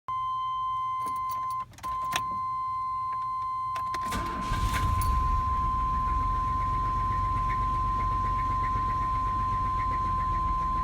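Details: Startup and revving of a Chevrolet 4.3L Vortec V6 with a severe rod knock: it cranks and catches under a steady warning tone, then settles into a rough idle with a deep knock.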